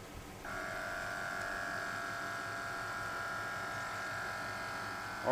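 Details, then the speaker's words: 2007 Chevy Suburban, newly installed air-ride suspension compressor: it kicks on with an even mid-pitched electric whine, steady for several seconds with no rattling or labouring, and lifts the truck. Normal compressor running. "it's coming on. Let's see if it lifts the truck. Yeah, it's lifting it pretty good,"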